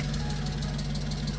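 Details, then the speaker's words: BMW E39 M5 just after a clutch job and not driven for over a month: on a cold start, fast, even light lifter ticking rides over a steady idle. The owner expects it to go away once driven and warm. "Man, this thing sounds like an M156 when you haven't driven it in a while."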